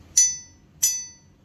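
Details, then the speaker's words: Salvaged sawmill knife blade being made into a knife, ring test after heat treatment (non-magnetic check done) to detect cracking: two sharp taps, each leaving a bright, clean ring fading over half a second with no buzz; clear ring, no crack. "That way I know if I picked up a crack. That sounds pretty good."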